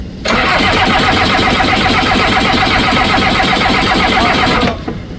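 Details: Skid loader diesel in cold weather with air in the fuel system cranks steadily with a rhythmic chug for about four seconds and doesn't fire. Little fuel reaches the top side of the injector, so the system needs bleeding.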